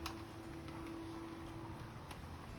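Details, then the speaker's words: HP LaserJet Pro M202dw laser printer after repair of a khat-khat knocking noise at power-on and feeding: quiet steady hum and soft even whir, no knocking or clatter, paper loading and printing properly. Normal printing. "कोई खटखट की आवाज नहीं आ रही है। इस तरीके से हमारी प्रॉब्लम सॉल्व आउट हो चुकी है।"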